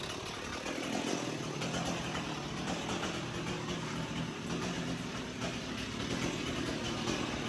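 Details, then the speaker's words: Free 1989 Stihl 026 chainsaw, about 30–35 years old, running after repair. It gives an even, steady two-stroke buzz at constant speed outdoors with no misses or surging, so it runs clean and healthy. "You can still hear it running."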